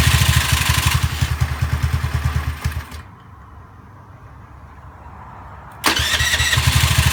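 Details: Honda Zoomer-X single-cylinder scooter after fuel filter and fuel pump motor replacement for hard starting and stalling: even quick idle putter, switched off, then fires straight back up and settles smoothly; normal start and idle.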